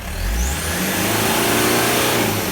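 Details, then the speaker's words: Toyota Land Cruiser Prado 1KZ-TE 3.0L diesel, about 400,000 km, 17 years old, after new genuine injectors and glow plug replacement: crisp, even rev climbing and settling cleanly, no knock, misfire or rattle; healthy. "mate look at that clean as a whistle beautiful"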